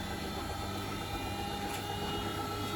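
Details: Bosch WFP3300 washing machine, heavy limescale, on a 90° cotton citric acid descaling wash, back panel off: drum spins up with low steady hum and faint even motor whine, no banging or grinding; normal, quiet spin.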